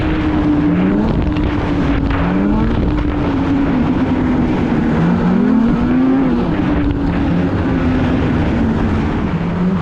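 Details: 2016 Polaris Indy 600 SP snowmobile at full throttle after plugged fuel filter fix (previously stuck below 6,500 rpm): loud steady high-rev wail holding near 8,000 rpm, no misfire or bogging; 1/8 mile at 65.93 mph; normal full-throttle run.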